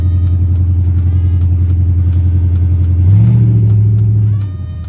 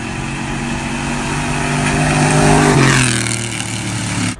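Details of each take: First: Chrysler 300C 5.7 Hemi after the missing driver-side header bolts that caused clunking were fixed (long-tube headers): deep, even V8 growl swelling cleanly on two throttle blips and settling back, with no ticking or clunks. Normal exhaust note. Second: Chrysler 300C 5.7 Hemi V8 with long-tube headers, driver's side header bolts missing: loud raspy puffing growing harsher as revs climb and fall, like open exhaust; header exhaust leak, new bolts to be fitted.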